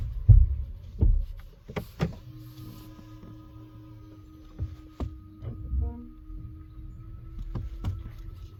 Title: thumping sound Tesla